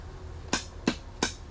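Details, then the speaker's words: 1989 Yamaha Warrior 350 four-stroke ATV that sat for years, in neutral with the clutch squeezed: four sharp evenly spaced clicks with no cranking, sounds like the starter solenoid; clicking, no crank. "sounds like a solenoid interesting all right so we'll go ahead and get this off of there since we know for sure it will not start"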